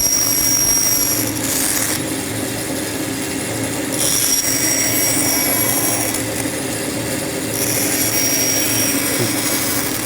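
Steady motor hum under an even hiss of blade through board, with no chatter, binding or squeal: a saw cutting normally.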